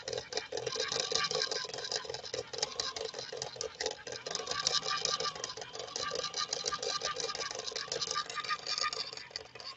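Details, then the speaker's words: Swedish machine on arrival, after clutch disengaged and re-engaged: harsh gritty fast uneven chattering grind over buzzing motor; motor running very hot, drive struggling; cause not confirmed. "That sounds horrible, doesn't it? I'm really glad that Solange sent this machine in."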